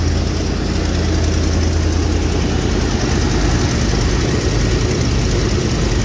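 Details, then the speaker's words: 1987 Chevy K20 Suburban, sat in weeds 11 years, first start in years on a jumped cable: deep steady low rumble with even beat, no misses or knocks; engine idles smoothly. "okay let's see of course can't do it okay sounds good there it goes"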